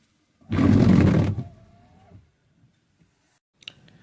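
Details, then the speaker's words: Tata Nexon's old worn wiper blade before replacement: one loud rubbery scrape lasting about a second across the glass, then a short squeal as the worn blade drags and chatters. "So இந்த wiper நான் replacement பண்ணுறதுக்கு முன்னாடி என்னோடய பழைய வண்டி வைப்பரோட condition எப்படி இருக்குதுன்னு நான் வீடியோ எடுத்திருக்கேன்."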